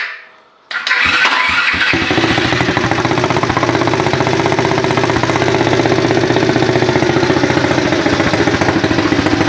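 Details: 2018 automatic pit bike with key start and no clutch or gears, chain just tightened and rear wheel straightened: engine catches after a brief crank and settles into a steady, even idle with a quick regular beat, no knocks or rattles.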